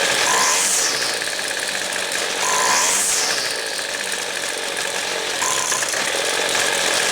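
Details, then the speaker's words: Weed Eater two-stroke trimmer, low-speed mixture jet closed about a quarter turn too far: each throttle blip climbs sluggishly and sags instead of snapping up; lean low-speed bog, jet to be opened back a quarter turn. "how it bogs i got it closed too much i'll go open it back up a little bit now about a quarter turn"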